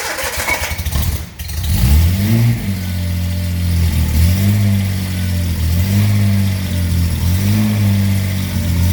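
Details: A few cranking beats, then the engine catches and settles into a steady run with gentle rev swings; choked after a distributor fix gave a consistent spark, SU flat-top carbs rebuilt; starts fine.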